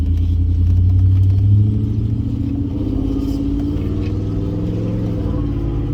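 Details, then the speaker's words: Ford Expedition flip, running on low fuel with loud aftermarket pipes: deep, loud V8 exhaust rumble under light throttle, steady and smooth with no knocks; healthy engine, normal running. "There we go. Loud pipes, motor running. You can hear me when I'm coming."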